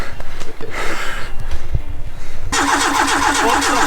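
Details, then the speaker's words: Fire-damaged car being restarted on an ECU: steady cranking then harsher uneven churn, never catches; trigger-wheel voltage threshold set too high so ECU wasn't reading triggers, timing reading jumped. "basically the reason we couldn't get it in time before was a trigger threshold for the voltage on the trigger wheel which was too high so it wasn't reading triggers"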